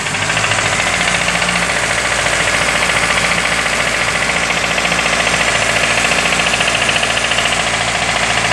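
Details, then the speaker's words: Renault Clio Sedan 2003 1.0 16V running rough with a broken intake part letting in false air; with it covered the engine revs and a steady rapid knock is heard, cause unknown, cylinder head removal likely. "Deixa eu tentar tampar aqui. Aí tampei, ele acelerou. Olha o barulho."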